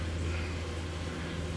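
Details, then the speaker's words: Off-grid battery bank inverter, shelf charging at about 53.2 V and 10 A: steady low hum near a hundred hertz with faint hiss, no rhythm; unusual inverter noise, owner unsure of the cause. "oh you hear that that's something that's weird haven't heard that for a long time"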